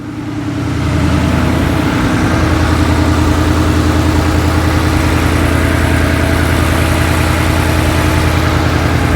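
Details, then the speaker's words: Ford Coyote V8, first start after rebuild following a spun rod bearing, no coolant in yet. Brief surge, then smooth, even idle with no misses or knocks. About 80 psi oil pressure, smoke from oil on headers; normal idle. "then she fires up so I'll try it out here and uh see how she sounds so hopefully make sure we don't have any leaks here so far it's sounding pretty good"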